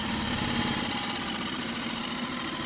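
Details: Mercury 4 hp outboard just revived from a no-start (not a carb issue), on the boat after first start: steady light even idle putter with no knocking or stumbling; running fine.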